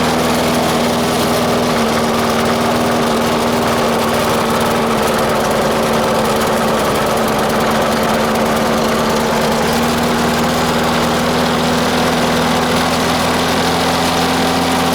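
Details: Murray mower with 4 HP Briggs & Stratton single, cold start at 3 °C after 10 months sitting, bad primer bulb, idle spring changed: loud, steady idle but ragged, uneven firing; runs rough, always has, cause not pinned down.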